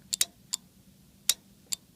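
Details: Relay from a Yamaha RX-V795 receiver, contacts previously burnt and cleaned, coil powered by a battery: sharp, crisp clicks, six in about two seconds, with a quiet background; normal relay switching.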